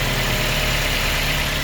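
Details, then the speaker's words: 2006 Mazda Miata with six-speed and 101,000 miles, cold start after sitting a while, under-hood: smooth, even idle with a steady low drone and no misses, knocks or ticks; normal healthy idle. "the motor runs super smooth, so I'm very happy with that."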